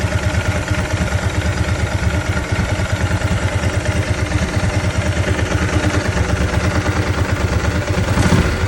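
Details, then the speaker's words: 2003 Ducati 999S, 7,600 miles, after fixing one-cylinder running caused by a clogged injector, replaced with a setup from an '05: even, lumpy V-twin idle with steady low thumps, no skipped beats; both cylinders firing cleanly. "crank it up show you how good it's running this bike has 7 600 miles on it"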